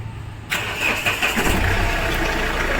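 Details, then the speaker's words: Mahindra Xylo diesel, crank-no-start with code P0340 traced to injector wiring, after repair; brief starter whir, then it catches at once and settles into a steady, even diesel idle: clean, healthy start. "Guys finally हमारी गाड़ी चालू हो गई है"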